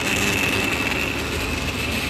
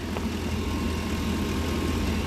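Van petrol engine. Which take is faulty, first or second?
first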